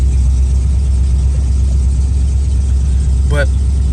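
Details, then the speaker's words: Carbureted V8 Mustang started at night, idle with a slight tremble: deep idle with uneven, stumbling beat instead of smooth lope; misfire caused by an arcing spark plug wire. "ouldn't take long to start up the car is pretty much died in but it has a slight tremble or a nice little tremble when it's idling so figure that out"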